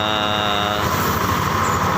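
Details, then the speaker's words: Yamaha Lexi scooter: rough, gravelly growl (ngorok) from inside the CVT at the rear, over the engine, sharp even when the throttle is released; from the CVT internals, not the cover or plastic. Worn pulley boss. "Ya kalau kalian pertama itu ada bunyi mengkorok di bagian CVT tepatnya dibagian belakang ini itu saat lepas gas pun juga ada suaranya sangat tajam"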